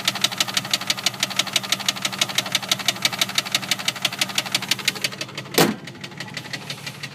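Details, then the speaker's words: 1999 Jeep Grand Cherokee 4.0 petrol six at idle, sharp rapid metallic knock that got much louder after a half-mile drive, seeming to come from below the engine: engine knock. "I just took it for a drive like a half a mile and it got a lot louder. Sounds like it's coming from below the engine."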